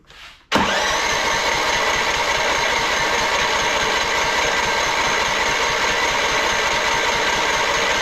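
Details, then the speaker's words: Husky LT4200 mower, MTD Powermore engine run very low on oil, popping out the intake: long, fast, even cranking with no firing; won't start, low compression from lost sealing. "I've honestly seen this a few different times with these power more engines they don't Faire too well a lot of times when they're ran low on oil"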